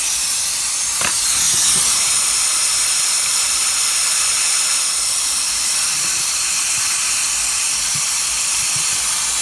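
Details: Hot no-start, cylinder air test: steady hiss of escaping air with no change in pressure; air leaking somewhere.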